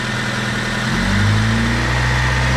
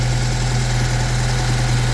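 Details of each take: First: 1997 Honda Civic, 220,000 miles, oil burner, found with only about half a quart of oil: knock faint at idle after startup but a rough hammering that follows rpm when revved. Rod knock from running low on oil. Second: 1997 Honda Civic, 220,000 miles, burns oil and had only half a quart left, after an oil change to fix a rod knock, check engine light on, long crank to start: a smooth, steady idle with no knocking.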